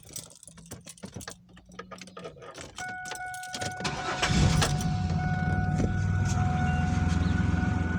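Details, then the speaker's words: After replacing the failing alternator with a remanufactured unit and fitting a new belt tensioner (belt had slipped off the pulley), the engine cranks briefly, catches and settles into a smooth, even idle while charging at 14 volts; normal start and idle. "so we're getting a good voltage 14 volts that's right where we want to be so the alternator is functioning like it should sounds a lot better built staying on the tensioner pulley"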